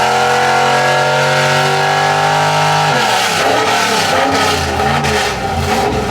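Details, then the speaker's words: 383 stroker small-block Chevy V8, mild pump-gas build with Holley Sniper EFI, on the dyno at about 900 rpm idle with roughly 60 psi fuel pressure after a timing change: loud lopey cammed idle, then a rev; healthy classic hot-rod sound, unchanged. "sounds pretty good undeniable the sound of a nice cammed small block Chevy just a classic Hot Rod sound"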